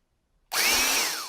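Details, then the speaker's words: 1960s General Electric TH-30 drill, reassembled after teardown: snaps on and settles into a smooth, even high whine with brush hiss, no grinding or rattle. Normal drill running. "then we'll fire it up at the end and see how she sounds"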